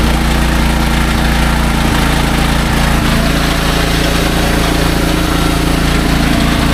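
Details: Restored SDMO 5000W generator with a Briggs & Stratton engine (about 18 hp), low on fuel and sitting on an angle, under heavy load from a 6 hp vacuum and 1500 W heater (about 15–20 A expected): a loud, even, low-pitched drone holds steady with no hunting or misses.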